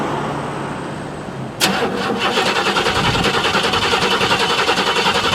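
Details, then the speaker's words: Buick (project car) cold start after sitting about two months, pedal pumped four times, weak battery: catches then runs lumpy and uneven with dropped pulses, shaking and misfiring until revved; cold start misfire, cause not confirmed. "so that was it for wax and she started up how it runs like a bag of [ __ ] when it's cold you see it's shaking and this firing so i just rev it a little bit and then it calms down"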